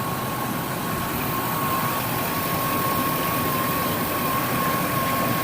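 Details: Ford F-250 with newly installed engine, coolant topped to max before test drive, no pressure yet: even steady idle under constant whoosh with faint thin tone, no knocks or misses; idling normally.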